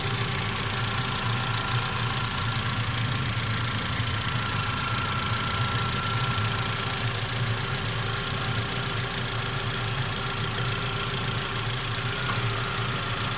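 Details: Mitsubishi MIVEC engine at warm idle after warm-up: steady idle with a fast light ticking about two per second, an abnormal noise of unknown cause.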